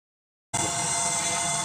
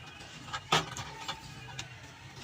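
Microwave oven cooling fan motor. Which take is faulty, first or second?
first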